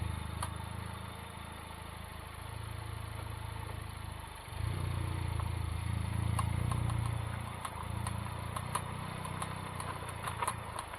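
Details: Honda Civic Type R FK8: sharp clicking from the front passenger wheel builds while turning over a low engine rumble; CV boot/joint checked and looks intact.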